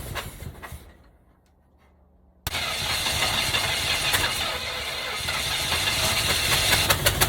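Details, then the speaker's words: 1965 Cadillac hearse, four-wheel drive, previously seized from years of sitting, first fire-up after fitting plug wires and valve covers: fires after a pause into a lumpy V8 run with a stumble every few beats. A dead-cylinder misfire. "well guys i know that's not exactly what we hoped for and it doesn't sound great but at least it fired up tonight"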